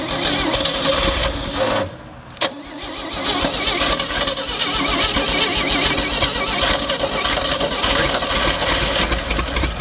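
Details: 1958 Chevy Delray, first start in a couple of years, float bowl filled through vent: brief crank, immediate catch, steady even idle with no misses or knocks; normal start and idle.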